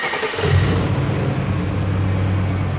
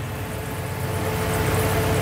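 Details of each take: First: LS V8-swapped Mercedes 124 chassis on its first start after a throttle body correction: it settles into a steady rumble with a thin, faint squeal from the worn belt and tensioner, a pre-existing fault due to be replaced next. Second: LS V8 swapped into a Mercedes 300D, restarted after the drive belt was refitted: the engine settles into a smooth, steady low idle with no belt squeal or chirp, sounding healthy.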